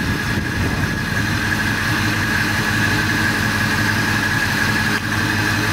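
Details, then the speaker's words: 1986 Chevy C10 V8 after sitting 7 years, with new Edelbrock AVS2 carb and intake, throttle not yet hooked up: slow, steady idle at 600 rpm with even beat, no knocks, misses or backfire; smoother than before. "That's pretty good. Now it's at 600 RPM. Yep. That's good."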